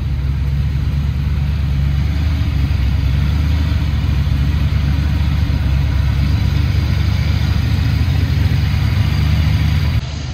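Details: Foxbody Mustang 302 V8 with B303 cam, T5, 3.73 gears, running after sitting since about 2021; strong, even low rumble with lumpy cam idle holding steady, no misses or knocks, owner says it sounds pretty good, normal idle.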